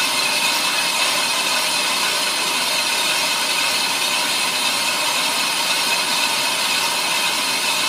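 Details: Ammco brake lathe machining a brake drum, about a quarter inch left to go: even, steady high-pitched cutting hiss, no chatter or squeal; finish cut running smoothly and nearly done, chatter strap fitted.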